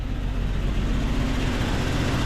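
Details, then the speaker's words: 1999 Jeep Cherokee XJ 4.0 straight-six, declared dead by mechanics, first start after cap, wires and plugs refitted; steady low rumble with faintly uneven beat at idle; slight misfire suspected. "it sounds like it's got a Miss but it's definitely a runner"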